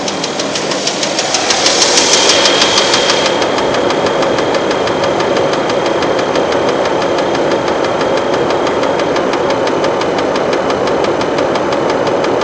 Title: Ticking noise